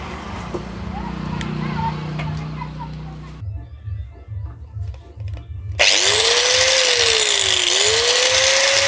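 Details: 600-model angle grinder after a bearing replacement and carbon brush refit, fixing its earlier loud noise: spins up to a smooth high whine that dips briefly under load, with no rattle or grinding; normal running after repair.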